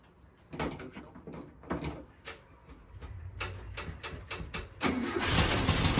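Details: 1969 VW Beetle first start in 33 years after points cleaned, carburetor rebuilt and temporary fuel system: slow uneven cranking about five seconds, then catches and roars up.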